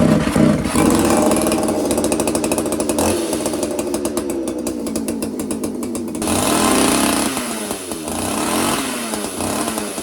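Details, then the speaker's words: Roughly 40cc two-stroke chainsaw, cold first start after sitting all winter, never properly tuned: rough uneven buzz that sags and surges instead of holding revs; the saw bogs. "you can hear the saw bog a little bit off the first start it's cold and I've never actually properly had this thing tuned it's always kind of ran like a bag"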